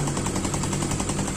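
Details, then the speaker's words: Fuel-injected motorcycle after cleaning the dirty injection intake: quick, regular putting at about ten beats a second with no stumbles or dips; idles steadily on its own without throttle, healthy. "Motornya slow sendiri ataupun stabil, udah stabil."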